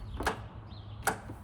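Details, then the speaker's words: Zero-turn mower out of winter storage, starting attempt: two sharp single clicks a second apart with no cranking, after being slow to start last season; owner suspects the starter solenoid, later replaced. "It's just making a clicking sound, and last year towards the tail end it would really be slow to start."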